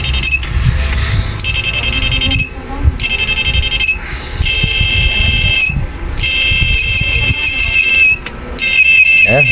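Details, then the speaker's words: Repaired IGBT-output inverter (salt-water type) with buzzer, NE555 and another IC replaced, tested at 1K (2K too much): clean high-pitched tone in steady bursts with short gaps, no crackle; normal output tone. "Yan, may tunog na. Maganda na tunog. Bali ito yung mga pang water yung pang alat, salt water."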